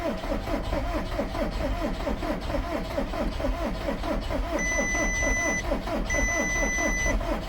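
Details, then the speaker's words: 2010 VW Caddy 2.0 SDI, engine just fitted with fresh oil, cranked in neutral with the fuel pump fuse pulled to build oil pressure: even, rhythmic cranking with steady compression beats, no firing or odd knocks, normal cranking. "Now this engine sounds a lot healthier than the last one, but that's twice now I've done that, so I'm going to let the starter cool a little bit."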